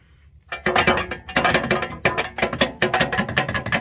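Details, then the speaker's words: 2013 Subaru with a road-salt-worn exhaust: irregular bursts of tinny metallic clanks and rattles toward the front on every bump, from a loose exhaust part banging against the underbody, before an exhaust replacement. "we got little rattling and banging going on and this is what happens"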